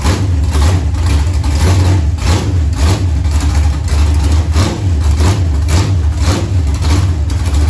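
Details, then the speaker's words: Junkyard LM4 aluminum 5.3 LS on an engine stand after a Tick Performance Street Heat stage 2 cam swap (229/235, 111+2), run with open headers: a loud, deep, lopey V8 burble, healthy and strong. "there's a zero percent chance it picked that up on audio and just probably both phones are just completely blown out but that sounded really really good that sounded mean"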